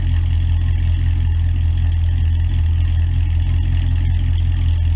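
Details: 2006 Pontiac GTO V8 idling while warming up after a radiator leak, found by pressure test, was believed fixed with a simple clamp: deep, steady burble at an even idle, no knocks, misses or rattles; normal idle.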